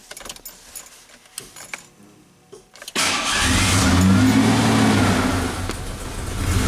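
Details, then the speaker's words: 1988 Ford Ranger start after intake cleaning, timing slightly off, transmission fluid found in intake: cranks, catches with a roar, sags and wavers nearly stalling, then picks up; unstable idle. "Still having seems like a little bit of an idling issue here, folks, but we'll see what it does here when we fire it up a moment."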